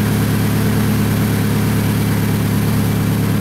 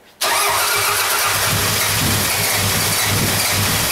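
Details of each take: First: Toyota Camry idling in the shop after timing belt replacement, smoking after a first start believed to have flooded it: loud, steady idle with a deep, even puffing chuff underneath, from an exhaust leak. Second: Toyota Camry with a non-interference engine, after replacing the snapped timing belt, water pump, idler, cam seal and valve cover gasket; first start since it was towed in, throttle held wide open: catches quickly into a smooth, even idle.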